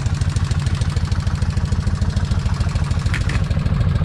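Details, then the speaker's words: Kawasaki Vulcan 1600 V-twin idling after drilling a bolt to increase rocker arm oil flow and riding 44 miles: steady fast top-end tick, about three per second; rear cylinder taps louder than front, no oil leak. "Yep. It's still tapping. Okay, the front is not tapping as loud as the rear."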